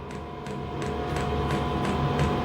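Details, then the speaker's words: Diesel heater on a home test bed, with the owner doubting the battery was strong enough: regular fuel pump ticks about three per second as the fan hum builds and swells while the heater bursts into life and lights normally. "Oh. Hang on, it's bursting to life. It's making more noise."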